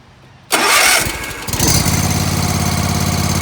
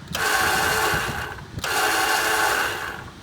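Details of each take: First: Zero-turn ride-on mower that wouldn't start; after a quick whack to the starter to free the solenoid, the starter cranks briefly, then the single-cylinder engine catches and settles into a steady, even run with no misses. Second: Zero Turn ride-on mower won't start: with key held, two long buzzing bursts and no cranking or firing; starter solenoid sticking, to be freed with a quick whack on the starter.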